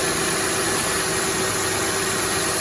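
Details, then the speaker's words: 2007 Honda Pilot 3.5L V6 idling after power steering pump replacement with a remanufactured unit, fluid circulating before lock-to-lock bleeding: steady even idle with constant hiss, no pulley whine or ticking left; sounds healthy. "So far so good, everything seems to be running okay. And you can see the power steering fluid, it's starting to move through the system a little bit."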